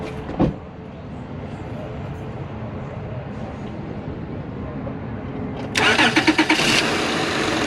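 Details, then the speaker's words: Acura TL after replacing coil and spark plugs for a cylinder 6 misfire (flashing check engine light, rough running, rich smell): quick crank, clean catch into an even idle with no missing or stumble; normal start and idle. "uh perfect you can hear now how it's not missing it actually sounds really great better than it did you"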